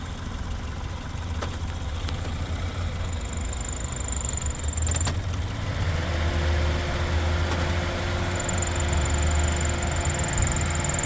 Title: 2026-08-14 2005 Pontiac Vibe FWD - Rattling noise